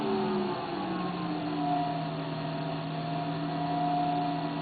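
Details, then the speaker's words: Electric player-piano vacuum pump at maximum normal playing level: smooth, even hum with a soft steady tone and no knocks or rattles. Only the motor and the exhaust out the back are heard, so it is running normally. "all you hear is the sound of the motor and the sound of the exhaust coming out the backs unless you have a lot of leakage"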